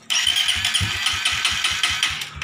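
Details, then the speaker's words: Suzuki GSX fuel-injected motorcycle, fuel pressure about 45: quick even cranking with a high whirring starter, never catches, still hard to start; starter ground signal comes via the ECM. Ignition check and a new spark plug are next. "masih sulit dihidupkan"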